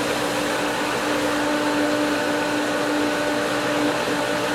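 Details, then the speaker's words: Pool pump at spring opening, second winterized skimmer cracked open with main drain and first skimmer already flowing: whirring drone with hissy airy edge, heavy air but holding prime; pool pump drawing air. "there he goes heavy heavy air"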